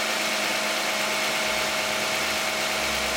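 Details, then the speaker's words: 2010 Toyota Camry 3.5 V6, 93,000 miles, Pennzoil Ultra 5W-30 synthetic with Wix filter, cold start idle: steady, even idle with smooth light whir, no knocks or ticks; fairly quiet, normal cold-start idle. "This is going to be the cold start and running of a 2010 Toyota Camry V6 with 93,000 miles, running 5W-30 synthetic Pennzoil Ultra with a Wix Ultra filter, and we're going to see what it sounds like."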